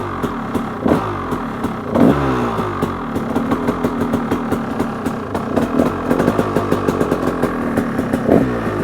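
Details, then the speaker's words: KTM 300 XC two-stroke dirt bike, freshly rebuilt and being warmed up: crisp, even crackle picking up cleanly with each throttle blip, no misses or knocks; runs really good, normal running. "so right now it runs really good and the first thing uh rattle noticed was that it's fast it's really fast"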